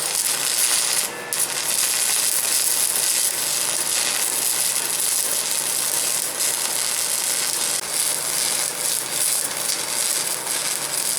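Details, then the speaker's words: Large 300-pound shop stick welder, compared with a VEVOR MMA 200: even steady crackle and fizz with no pops or sputter, a smooth healthy stick-welding arc. "Now listen to this, it'll be a smoother sound. This is the big welder."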